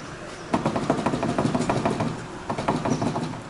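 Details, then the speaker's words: Chevrolet Corsa rear wheel rocked by hand, with lots of noise at the rear. Bursts of hollow, irregular clunks show a worn rear wheel bearing with play; both rear bearings, a front bearing and a ball joint are to be replaced. "Ai credo gente Credo muito barulho na traseira aqui ó"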